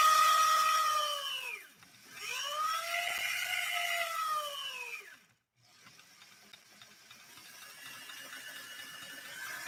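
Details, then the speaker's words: Sewing machine with a mic at a distance: a high squeal rises and falls with machine speed and gives off a warm smell, from an internal belt slipping below the cleated belts. "Can all of you hear that on I know the microphone is a distance away from the machine, but can you hear that squealing, slipping sound? I'm hoping you can."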